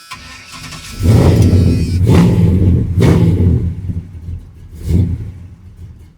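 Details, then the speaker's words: Carbureted engine with a flooding issue, after turning the idle speed screw out one full turn and adjusting the carb; catches after a short crank, surges in uneven sagging bursts and dies, won't idle; owner suspects throttle plates need opening or drilling. "No sir, still won't idle."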